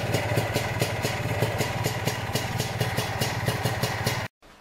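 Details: Lambretta Series 2 SS225 two-stroke idling after a 60 km cold-day ride, compression good: fast regular metallic scrape on each firing pulse; flywheel and solid Casa flywheel cover ruled out, footboard split not the cause, source unknown.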